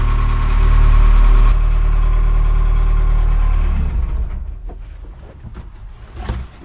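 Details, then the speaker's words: Ugly, well-worn small diesel farm machine at an auction preview fires right up immediately and settles into a deep, even idle with a steady beat, no knocks or misses; hydraulics responsive, normal idle. "let's see is it gonna start wowzers this thing fired right up that's pretty impressive"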